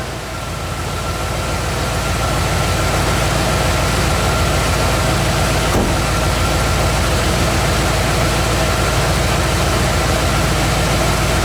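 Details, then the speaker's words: 1980-86 bullnose Ford F150 V8 idling after carb swap and fitting a low-pressure Edelbrock fuel pump with new fuel lines; steady, even idle. The earlier scraggly noise, possibly pinging, is gone and the truck runs well. "gonna be funny if that scraggly noise went away i don't really hear that noise anymore"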